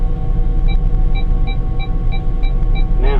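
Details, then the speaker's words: Gleaner S8 Series combine cab with AG3000 auto-guidance, right after wheel angle sensor calibration: quick high beeps about three a second over engine rumble, signalling the steering controller must be power-cycled: steering controller reset-required warning beep. "now that we've completed that, you can probably hear the beeping here that says the steering controller needs to be reset."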